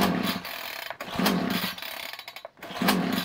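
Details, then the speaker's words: Titan two-stroke strimmer on a cold start with fresh fuel, primed six or seven pumps, moved to half choke: it surges and sags every couple of seconds, never picks up revs and dies off choke. Faulty carburetor; runs only on choke. "so if your machine your Titan strm is doing that then I have a good fix for you normally nine times out of 10 I would um investigate the carburetor and clean the carb out"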